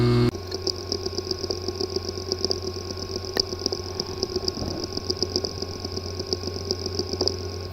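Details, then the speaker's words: WD My Passport WD20NMVW external hard drive with physically damaged disk assembly: steady spin hum with repeated sharp clicks about every third of a second, from internal head or platter damage. "The following is the sound from one of the hard drive which experienced disk assembly physical damage."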